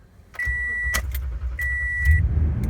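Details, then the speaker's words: 2014 Toyota Tundra 5.7L V8, about 85,000 miles: chime, then the starter cranks roughly twice as long as normal before it catches into a low rumble; hard start, cause unknown. "there it is did you catch that probably took at least twice as long for it to start"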